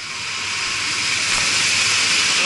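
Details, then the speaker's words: Luxaire package HVAC unit, newly replaced blower motor (no-heat complaint), rotation check: smooth, steady air rush building as blower spins up, correct direction, no rubbing or squeal; normal blower operation. "going that way so our motor is spinning the correct way it is going that way"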